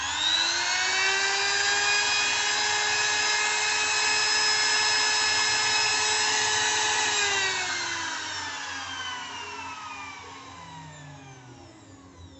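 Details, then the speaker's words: New MODERN M3820 profile trimmer, 400 W, 220 V, 28000 rpm no-load: steady high whine at even pitch with no rattle or scrape, gliding smoothly down at switch-off; motor runs smoothly and healthy. "Tidak ada suara kasar atau apa pun, apa sebutannya? Apa ? Berderak. Kalau orang Jawa yang mengucapkannya, bunyinya seperti "kretek-kretek". Suaranya memang sangat halus. Hanya dengungan yang stabil."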